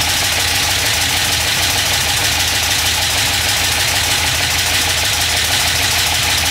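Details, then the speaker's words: LS 6.0 V8 (2000 Silverado harness) first start: harsh rapid ticking clatter, about three hits a second, on passenger-side bank; dipstick end caught the windage tray and was struck by the crankshaft. "The end of the dipstick caught the windage tray and then got sucked up underneath. So the crank was coming around and hitting the dipstick. Crazy."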